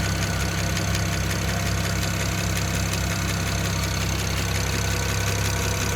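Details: BMW 335i N54 petrol engine at cold idle, oil under 47 °C: light, fast ticking of about three ticks a second over a steady idle; it disappears above 2000 rpm or once oil passes ~47 °C; owner asks the cause.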